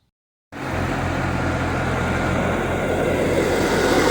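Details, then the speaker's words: C5 Corvette LS1 after the accessory belt was refitted correctly to cure a squeal: a smooth, even idle with a steady low hum and no squeal or chirp; how it's supposed to sound. "And there we have it, how it's supposed to sound."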